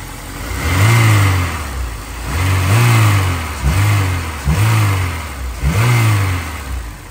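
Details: Honda S2000 with a newly installed Spoon clutch, revved during an initial break-in with no weight on the wheels: it blips up and falls back about every 1.5 seconds, rising and dropping cleanly with the throttle. Normal revving.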